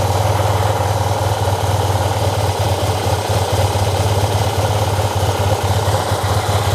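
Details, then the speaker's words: Yamaha TMAX fuel-injected scooter twin, long stored, ignition reinstalled, oil added: lumpy wavering uneven idle; rough running, ECU ruled out, owner suspects fuel-air mixture fault from air leak or fuel not arriving. "it was an improvement at least I got it to work the ignition works I know now that it's not an ECU issue but there seems to be some sort of fuel air mixture that's not right"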